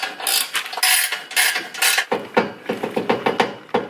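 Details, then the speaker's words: Nissan GT-R after new aftermarket downpipes/straight pipe: mid-pipe rattles against a cross brace, shifted by the new downpipes; bursts of sharp metallic clatters, a few per second, as the pipe is shaken against the brace. "So that's kind of the noise. It's this brace right here."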